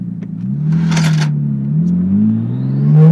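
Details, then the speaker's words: Nissan Skyline RB20DET loaded in second gear: revs climb with an uneven, stumbling note, a misfire and hesitation around 5000 rpm, seeming worse than the day before; spark or fuel problem suspected, cause unclear. "yeah it's nasty it's I think it's worse than yesterday so I'm not sure what's happening at the moment"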